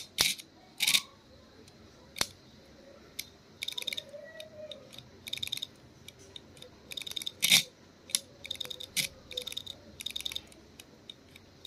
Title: HDD CLICKING SOUND ISSUE